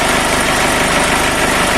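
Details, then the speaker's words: Toyota FD-25 diesel forklift at 500-hour periodic service, engine start and abnormal-noise check, idle then throttle: even low chug with no extra knocks or rattles, no abnormal noise found. "Kita coba gas. Tidak ada bunyi berisik lain, tandanya engine starter dan abnormal noise tidak ada."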